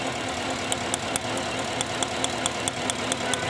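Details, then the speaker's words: Lincoln V8 idling with an engine misfire code; scan data shows cylinder 7 dead, power reaches its coil, and the plug is to be checked for oil or low compression. Uneven idle with an irregular tick about twice a second, a steady misfire. "Number seven नहीं काम कर रहा proper जसे गाड़ी बहुत ज्यादा मिशिंग कर रही है"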